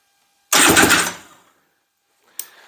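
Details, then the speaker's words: Freshly rebuilt and reinstalled Honda FL350 Odyssey engine, first crank after final assembly and wiring: a short one-second burst of starter cranking as it turns over freely with nothing binding. The project began over a no-spark problem; spark is confirmed right after. Normal cranking. "oh wait hold on there we go it turned over did you hear that listen to it again guys"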